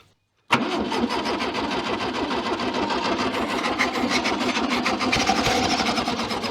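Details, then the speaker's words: 1966 VW Beetle not run in over ten years. Starter cranks steadily with ragged, uneven firing trying to catch, on a weak spark and stale fuel mixed with two-stroke oil. "yeah that's trying"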